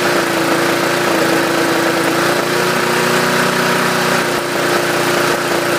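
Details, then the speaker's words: Yard Machines 20-inch mower, 2008, 4.5 HP 148cc 300-series engine, after carb diaphragm rebuild, new air filter, primer bulb, oil and blade: steady drone with a stumble every few seconds. Cheap spark plug suspected, swapping to Champion. "Okay, there is a little bit of a hesitation here and there."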